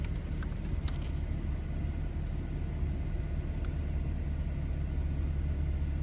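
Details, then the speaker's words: 2014 BMW 320i, warm engine at about 80-90 degrees: smooth, steady low hum with idle lifted slightly during the onboard engine oil level measurement; normal raised idle, nothing abnormal. "So now I can start measuring, and now it's gonna start measuring, so that may take a little while. And also you will hear the engine rev up a little bit while it's doing it."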